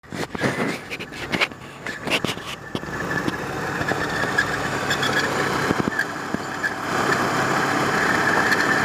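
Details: 1993 Volvo 850 engine at idle: some clicks early on, then a steady high-pitched squeak over a smooth idle. Suspected bad idler or timing-belt tensioner pulley.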